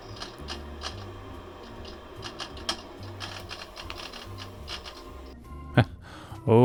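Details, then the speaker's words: Unisys Aquanta CP booting after several Windows XP install attempts: irregular mechanical clicks and chattering seek bursts over a quiet hum; the hard drive is failing, does not read well and needs replacing. "goodness that is bad so if you hadn't guessed that's the hard drive making that sound and it's actually a it's not working it doesn't read well so it needs to get replaced"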